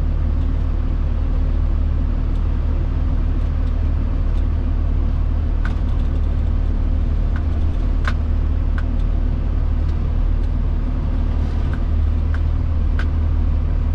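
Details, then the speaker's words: Crew cab pickup on a test drive after a front-end popping fix, backing out of the driveway and taking slow turns that usually triggered it. Only a low rolling rumble and faint gravel ticks are heard, with no popping or clunk; the front suspension is quiet. "so nothing well that usually that would have done it for sure hitting the driveway turning like that but nothing so i think it's fixed"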